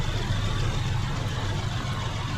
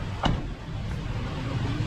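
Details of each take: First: After fixing the spark plug and fitting a new ignition coil to cure P0301 cylinder 1 misfire, the engine idles steady and even with no vibration; scanner shows zero misfire count, fuel trim and RPM back to normal. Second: Petrol engine idling with check engine light blinking after DTCs were cleared: uneven, lumpy low rumble from a continuous cylinder 1 misfire (P0301); spark plug and ignition coil to be checked next.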